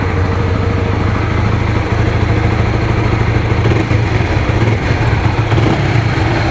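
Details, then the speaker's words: Honda Supra GTR 150, nearly 2 years of use: an even single-cylinder burble rising cleanly with light throttle blips, with no ticks, knocks or rattles. The owner says it still sounds like new; the engine is healthy. "Bagus kan? Nggak ada suara aneh-aneh."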